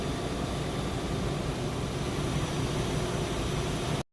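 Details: Nissan Altima 2.5 idling after AC compressor replacement and vacuum, being recharged with refrigerant with AC on max: steady low hum and airy rush, no squeal or rattle; compressor running normally.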